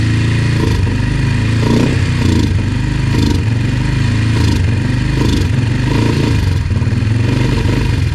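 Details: Yamaha TT-R 125 single with stale, varnish-smelling fuel, started on choke: loud idle surging and sagging about once a second, never picks up; won't idle when warm, must cool; carburetor problems suspected.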